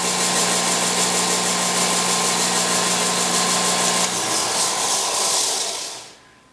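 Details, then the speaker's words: Harbor Freight 6x48 disc/belt sander, newly assembled, first switch-on. A steady motor hum with bright belt hiss, even for four seconds, then it coasts to a stop; normal running. "Let me turn it on here. Yep, everything seems to run."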